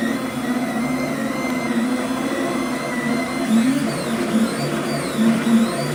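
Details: Flux 3D printer, stepper motors rigidly bolted to brackets on base plate and rods, before damper modification: shrill, steady motor whine with gliding pitch changes as the head moves; steppers ringing through the frame.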